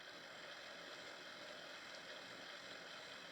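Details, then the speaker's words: New Hornby collectors club 2020 model locomotive running after being run in, at slow-ish speed: steady even motor hum with no ticking, surging or roughness; sounds quite a bit smoother now it has been running. "sounds quite a bit smoother now that it's been running which is always very very good"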